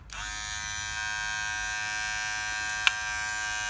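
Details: Wahl Detailer cordless hair trimmer after replacing the blade plate that caused intense noise: starts and settles into a steady, even high buzz with one brief tick.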